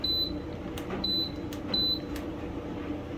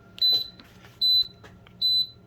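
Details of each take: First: Kenmore dryer diagnostic check: short high beep at each click of the temperature-control knob to a new position, every step answering, so the selector switch works; a missing beep would mean a broken position. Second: Kenmore dryer that turned itself on and beeped randomly, in diagnostic mode: short high even beeps about 0.8 s apart counting out error code 68, a stuck key button fault; next step the function/key test.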